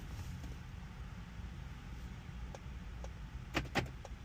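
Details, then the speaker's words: 2016 Lincoln MKX, programming a spare smart key (FCC ID M3N-A2C31243300) with Autel 608, key placed in the programming slot: steady cabin hum then two sharp clunks as door locks open and close normally; learning successful, 2 to 3 keys. "And you hear the locks open and close. That's a great sign."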